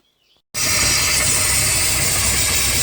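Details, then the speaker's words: 2007 Tahoe boat, 4.3L Mercruiser TKS carburetor, just fired up cold on earmuffs after new enrichment valve and full tune-up: strong steady sucking hiss over idle, normal enrichment valve that should close and quiet within eight to ten minutes. "there is a sucking noise that is normal they say within eight to ten minutes and the sucking noise will go away that is the valve closing"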